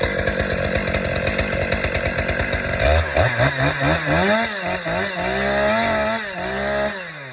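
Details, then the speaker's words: Stihl MS 500i fuel-injected chainsaw, start after priming and using decompression valve: crisp even idle popping, then clean smooth revs rising and falling; starts and runs normally. "starting up this still ms500 ey chainsaw in my opinion this is one of the best store still has ever produced and made"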